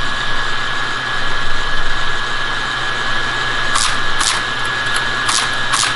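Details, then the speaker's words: Teletype ASR 33 during transmit section restoration: steady motor hum with a few isolated clicks, no typing clatter, nothing prints; owner suspects the answer-back character suppression switch is on and causing a short, not confirmed. "so the character suppression is on and I believe that's responsible for the short"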